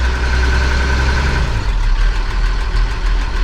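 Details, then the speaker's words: Engine idling during barley planting: steady low rumble with a faint light ticking tied to idle speed; cause unclear, engine ticking. "I think this is one of those audio tacos you can hear it ticking"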